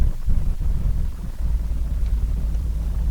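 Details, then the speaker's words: 2003 Hummer H2 with check engine light and shaking, at idle: a low rumble with an uneven stumbling beat. After ignition coil 1 was swapped to cylinder 5, cylinders 5 and 4 now misfire, pointing to the coil. "Okay, exactly what I think. Right now number 5 misfire and number 4."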